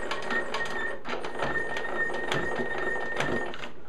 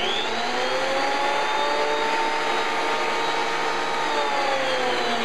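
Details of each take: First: Delta 22-540 planer, stored for years, pillars and lead screws just lubricated: thin steady squeak with uneven clicks as the head is raised and lowered, rust seen on the height pillars, so a cleanup and partial teardown are planned. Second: Delta 22-540 type 1 planer, stored for years, running loud with a steady high motor whine and whirring cutterhead, pitch drifting slightly; normal planer running.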